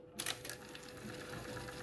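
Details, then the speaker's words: Pioneer CT-F650 cassette deck after new idler tire rubber and three new pinch rollers: a few clicks on engaging fast forward, then a smooth, even, steady whir with no drag or squeal. The transport winds fast and freely. "so that's doing real good wow that's hauling ass"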